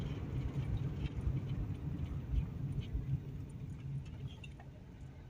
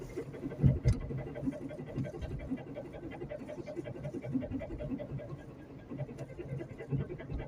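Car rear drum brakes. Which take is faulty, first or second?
second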